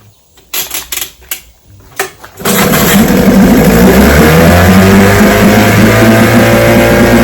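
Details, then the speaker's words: Restored and repaired vintage outboard, fifth consecutive daily start test, throttle on full after priming: a couple of pulls, then fires and holds a steady, even two-stroke buzz with no misfires; normal running. "All right, that's five days in a row. She starts right up."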